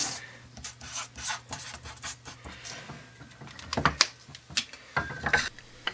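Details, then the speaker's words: Moto Morini 250 2C Paioli front fork, left leg rocked by hand during disassembly. Irregular metallic clicks and rubbing come from stanchion play in the slider, measured at 0.1 mm clearance against 0.04 mm on the right leg; it needs replacing. "you hear the noise as I move the stanchion in the slider that's not good it does quite a bit of play a measure a tenth of a millimeter this will need replacing"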